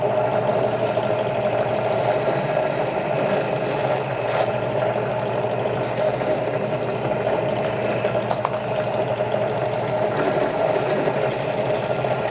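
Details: Drill press trimming rifle brass cases with a Kwik Trim setup: steady even motor hum with light cutting chatter, no knocks; normal operation.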